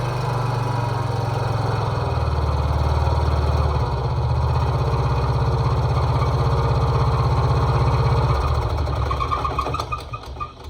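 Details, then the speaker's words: Riding mower with hood removed, engine visibly moving at idle, before repair; rough, heavy thumping idle with a shaky rattle on each beat, engine vibration from loose mounting bolts. "did you guys see it move did you hear that it doesn't sound good"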